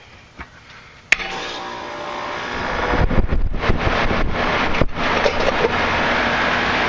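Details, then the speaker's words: York residential condenser after condenser fan motor replacement (old motor had excessive shaft slack): contactor clack, then fan and compressor settle into steady even hum, no rattle or scrape; running normally, sounds better than before. "better. It even sounds better than it did the other day."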